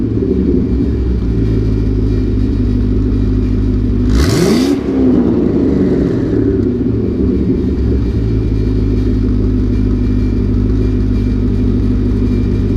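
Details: Warm LS2 V8 with about 112,000 miles, hood open, oil at 30 psi and oil temperature 90: even idle, then a quick throttle blip that rises and drops back cleanly with no knock or rattle; a healthy engine.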